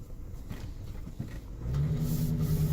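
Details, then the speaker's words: 2002 Ford Explorer Limited V8, driving after running a while with pedal floored, even on a small hill: low, labored note with revs barely climbing before a slight pickup; engine bogging with very little power, cause unknown. "after running for a while I've got very little power and you can hear the engines bogging down kind of"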